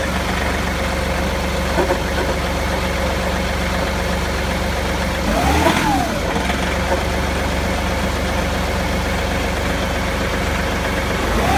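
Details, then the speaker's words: John Deere 2038R diesel tractor with 270B backhoe that barely moves when controls are cycled; steady idle with two brief rising-then-falling low growls about six seconds apart, heard since the backhoe stopped working; cause unknown. "okay I'm going to start the tractor and see if I can capture the low-level growling noise that I have been hearing ever since my backhoe stopped working"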